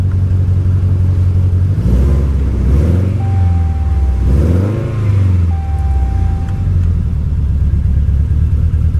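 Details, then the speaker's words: Cheap salvage-auction truck with a strong raw-fuel smell and warning lights flashing: a deep rumble with revs surging and sagging unevenly, seeming to backfire a little. Rough running; cause unclear. "well that didn't run well it even sounded like it backfired a little bit yeah she doesn't sound good"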